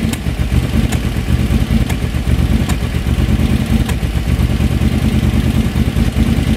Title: BF730 carb misfire